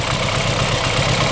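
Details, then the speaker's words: BMW F30 328i N20 engine with cylinder 2 wall damage and no compression, oil cap opened at idle: uneven chuffing idle with a steady rushing hiss of massive crankcase blow-by from the compression leak; engine dead. "that's a massive blow by and this is cows because we have a compression leak that is a clearly sign then this engine is dead completely dead"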